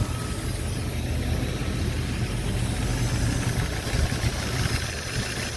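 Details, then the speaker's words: Jeep engine just reinstalled with new connecting rod bearings, not yet warmed: steady, even low idle with a faint light tapper tick on both sides; sounds healthy, oil pressure over three bar, engine light on (open ASD circuit). "yeah both sides a little bit of Tapper noise sounds healthy"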